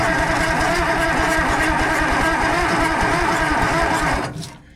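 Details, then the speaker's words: Allis-Chalmers 645B loader, turbo diesel, on a jump pack with the injection pump in the shutdown position. It cranks steadily at about three beats a second but never catches and gets no fuel. Owner suspects the diaphragm lift pump, as its manual lever isn't pumping: fuel starvation. "It's cranking over pretty decent, but still no fuel. Come on, fuel."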